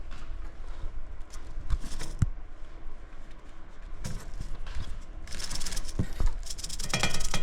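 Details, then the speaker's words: 2011 GMC Denali, 275k miles, that will not take fuel; shaking the EVAP breather hose gives an irregular maraca-like rattle of charcoal particles from a failed charcoal canister clogging the line. "You can hear that. Sounds like moracas. Basically, we have a bunch of uh charcoal particles in the lines."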